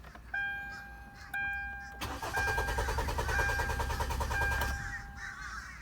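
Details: 2013 Hyundai Tucson: dash chimes, then starter turns the engine over evenly for under three seconds and it never catches; cranks but won't start.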